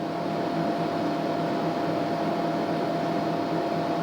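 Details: TDI Dynaload 100-300-2000 2 kW electronic load, reassembled after teardown and cleaning, constant current mode at 6 A, voltage lowered to about 32 V: steady, even fan rush with constant mid-pitched hum, no rattle or pitch wander; cooling fan smooth under load.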